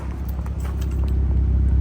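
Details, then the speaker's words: 2006 BMW 325i idling after its no-start crank sensor problem was fixed (sensor was unplugged, new one fitted): low, even, soft rumble holding steady without roughness or ticking; a quiet, healthy idle. "Anyway, yeah. Well, this is it running."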